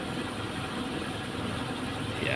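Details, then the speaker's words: Standard Suzuki Katana at pre-purchase check: soft, steady idle hum with no knocks, hunting or shaking; smooth, steady rpm indicates a healthy engine. "tapi kalau kondisi mesin kita dengar halus terus Ee rpm-nya tidak naik turun atau bisa stasioner berarti mobil itu sehat"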